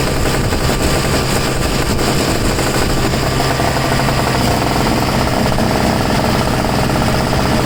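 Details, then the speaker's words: Two-stroke snow blower that sat 10 months and wouldn't start, now with enough fresh two-stroke mix: fast crisp buzz with steady rapid firing, no misses or surging; normal running. "well just call me an idiot you just didn't have enough gas in it before let's see how it starts now"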